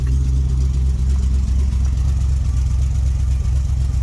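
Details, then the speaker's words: Vintage street machine "Jezebel" V8 just started, with an oil leak from a suspected broken oil pressure sender, before warm-up: a deep, smooth burble at a steady idle, no stumble or miss; normal. "Oh, yeah. No pump, no nothing. That's how it's supposed to run."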